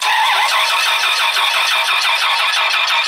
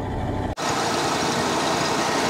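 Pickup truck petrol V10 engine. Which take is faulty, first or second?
first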